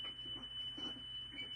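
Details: Cassette deck from a classic car radio under restoration, after drive motor speed adjustment to about 3.00 on the meter: a steady high test tone holds pitch without wobble or drift; tape running at correct speed.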